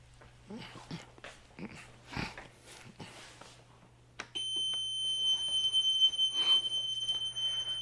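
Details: Piaggio MP3 400 scooter, suspension lock engaged: a high, shrill, continuous warning tone starts and holds steady; the suspension lock motor-reducer shows a current-below-normal or open-circuit fault.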